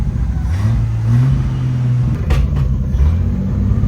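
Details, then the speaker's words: 1975 GMC Sierra Heavy Half short bed, revived after sitting 20 years, on its first test drive: a low V8 rumble surges and dips with sharp pops, stumbling at idle. It levels out with light throttle, so the owner suspects the idle needs turning up. "maybe I just need to turn my idle up a little bit cuz when I keep my foot feathered onto the gas it levels out"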